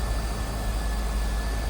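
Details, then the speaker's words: 2001 Chevrolet Corvette C5 convertible, 5.7L LS1 V8, 49,326 miles, heard at the open engine bay: smooth, steady low V8 idle with even loudness and no knocks, ticks or misses; normal healthy idle. "There it is. That LS1 5.7 L power. Sounds good."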